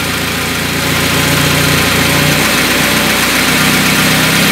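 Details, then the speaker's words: Carbureted car with second-generation LPG kit, running on gas after the idle is set with the brass screw. Even, steady idle with a constant pulse and no hunting or stumbling: normal, stable idle. "потихоньку придушу вами лот чтобы он работал стабильно я вот она работает ровно и стабильно"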